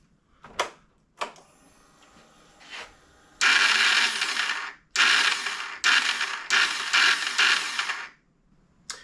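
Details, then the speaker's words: Kawasaki KFX450R ATV, after confirming no connection between the starter stud and the case and running on the bike's own battery: short bursts of high, free-spinning whir on each button press with no engine cranking. The starter turns but the one-way starter clutch is slipping. "all right starters turning now onto the reduction gears some kind of issue in there"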